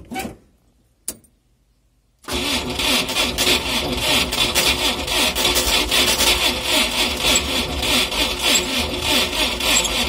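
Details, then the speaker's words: Cold start of a UAZ engine run with no oil, seized, crankshaft bearings spun: after a short silence it cranks unevenly at about three strokes a second with a harsh scrape and creak; spun crankshaft bearings. "Слышно какой-то конкретный скрип."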